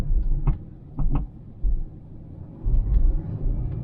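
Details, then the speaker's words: 2000 Toyota Celica 1.8 GT driving over speed bumps: dull clustered knocks from the right front suspension. The noise worsened after hitting a pothole; owner suspects worn ball joints or rubber bushings. "right hand front it's knocking something"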